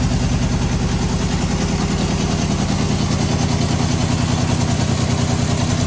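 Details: 1973 Honda CB750 first start after sitting 15 years; the previous owner's no-start was a worn-out kill switch. Even, steady four-cylinder idle with a regular exhaust beat and no misses or knocks; normal idle.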